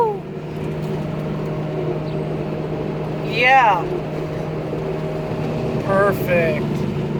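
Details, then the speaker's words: Ford Explorer on first test drive: steady low hum under road rumble from the passenger-side front wheel, a loud humming noise traced to a worn wheel bearing, which was then replaced. "as you probably heard there's a noise coming from the passenger side front wheel right her"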